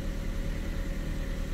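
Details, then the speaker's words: Ford Fiesta on a cold start, coolant cold, after the throttle position sensor adjustment: a short, low, even idle revving slightly higher without surging, with steady TPS1 and TPS2 readings. Steady idle. "revving a bit higher but it's not surging we've got pretty steady tps1 tps2"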